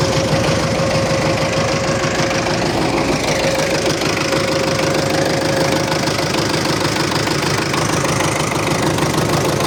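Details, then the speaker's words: MTZ-82.1 tractor just after the fuel injection pump was fitted, in +40° heat: a steady thin whistle rides over the clattering diesel idle and fades after several seconds. The owner suspects oil hasn't yet lubricated the pump, and the engine smokes slightly. "Щось свистить, не пойму що. А наверно ще не масло не помазало насос, наверно."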